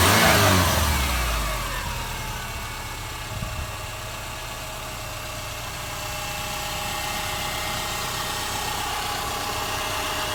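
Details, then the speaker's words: 2005 Subaru Forester after correcting a badly done timing belt job, with everything reassembled and refilled: the engine catches with a quick flare, then settles into a smooth, even idle with a faint steady whir. Normal start and idle. "There it is. Running all done just like new, only better."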